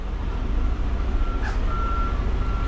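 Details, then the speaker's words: Semi tractor diesel idling while reversing under the trailer with wheels lined up, reversing beeps, then one sharp clunk as the fifth wheel jaws lock onto the kingpin; normal hookup. "See how the trailer slid in there? You hear that link?"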